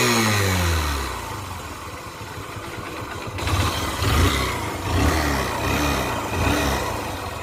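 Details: BS4 Honda SP Shine motorcycle engine, smoking and very low on oil; rough, uneven idle with a loose clatter that swells as the revs climb. Worn engine noise, to be opened up.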